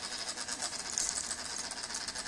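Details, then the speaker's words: MacBook, recurring on and off for years and now louder: thin, high-pitched buzzy rattle pulsing unevenly with almost no low end, something inside vibrating; cause unknown, intermittent buzzing rattle. "This sound is annoying. If someone repeats it here, I can hear it very vibrated."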